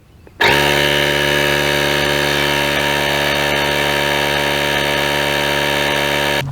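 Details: Auxito jump starter's built-in air compressor inflating a car tyre, set from 36 to 34 psi, battery at 91%: steady even motor drone with constant high mechanical whine, no knocks or surging; compressor running normally.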